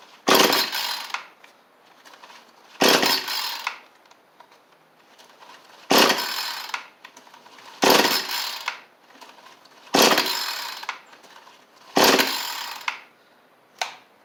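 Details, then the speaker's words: Cheap two-stroke with spring-assist pull start, on its old carburetor without choke: six pull-cord rips about two seconds apart, each a brief spin; it only briefly tried to fire on the first pull, then gives a no-start. "So it wanted to that first time, just briefly. So it doesn't seem like that's going to work for us, unfortunately."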